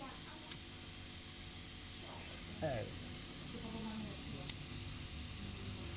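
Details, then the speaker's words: Polytron refrigerator before the freon charge, suction applied at the charging line: a steady thin airy hiss at the brazed joint, revealing a leak at that weld point. "bunyi ini kalau ada kebocoran di titik pengelasan ini maksudnya seperti itu Jadi ini sebenarnya dari awal saja sudah ketahuan kalau ada kebocoran"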